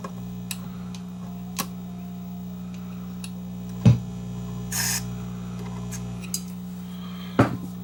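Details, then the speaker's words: Peavey Minx 110 bass amp after contact cleaner on the controls and input jack: a steady mains hum with sharp crackles and pops now and then. Crackling noise from the input jack; owner suspects a dirty contact or cracked solder. "cleaner plug is still kind of noisy we give that another shot give that another shot of cleaner see if we can get that uh plug to clean up a bit"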